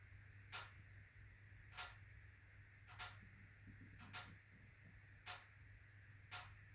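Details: HWAM Wiking Mini 2 wood stove, warranty replacement, automatic air control readjusted: sharp metallic ticks about once a second over a low hum, banging through the 45-minute burn; owner suspects bimetallic coil spring hitting a mechanical stop.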